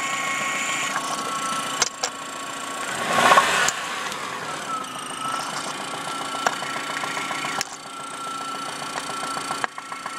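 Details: 1997 Saturn SC2 at idle, heard through a stethoscope: light, fairly even ticking knock three to four beats a second; it began six weeks after purchase, right after the engine hit high RPMs.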